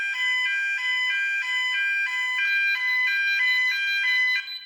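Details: Fireco Freedor SmartSound push-side hinge-left door holder tested with building fire alarm: high-pitched pulsing alarm tone about three per second, then cutting off; fire alarm sounding.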